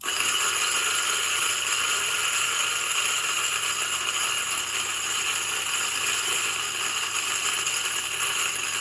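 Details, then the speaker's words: New DF64 flat-burr single-dose grinder grinding a 10.1 g dose for a retention test: steady, even high-pitched grinding, motor holding speed with no knocks or labouring; normal under load. "and i'm gonna grind it to see whether it's actually uh almost zero retention so now this is uh the sound of the motor with the coffee"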